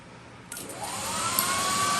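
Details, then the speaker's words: M35A2 Deuce and a Half 30k BTU multi-fuel personal cab heater at start-up: quiet, then a soft click and a smooth whir climbing in pitch as the fan spins up normally; the clicking is the fuel metering valve spraying fuel. "and you hear it start spinning and that clicking is the fuel metering valve spraying fuel into the combustion chamber"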